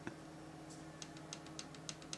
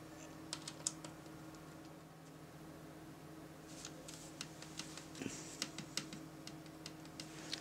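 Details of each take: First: MacBook Pro trackpad after turning the T6 adjustment screw about an eighth of a turn counterclockwise: sharp, light clicks over faint room hum, clicking on the left but not the right; trackpad clicking on one side only. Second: MacBook Pro trackpad after adjusting the T6 screw under the battery: crisp clicks now on both sides, slightly stronger on the left; normal click restored.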